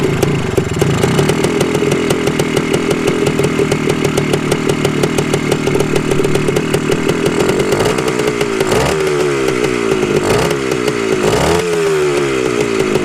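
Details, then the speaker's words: 1974 Honda MT250 Elsinore two-stroke on its first start after a five-month full restoration, choke on: crisp, even popping with a steady buzz and throttle blips that clear cleanly. Running well; normal. "okay well i just disconnected the spark plug it was the only way to shut it off but it's running it's running pretty dang good"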